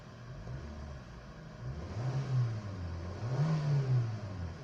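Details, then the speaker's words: Kia Picanto with about 2-second throttle delay, after brittle heat-damaged hoses and wire harnesses sprayed with WD-40, revved at idle: now responsive. Revs rise twice cleanly without hesitation and fall back smoothly; normal throttle response. "responsive na siya. Hindi kagaya nung dati 2 seconds bago mag-response."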